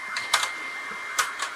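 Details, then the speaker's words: Technics tape deck from e-waste with a 3D-printed replacement gear, deck two tested: two sharp mechanical clacks over a faint whir and no playback, the transport never engaging because the drive belt is off its pulley. "Oh, what? You got to be kidding me. Nothing. So, all I get is a sound out of this thing."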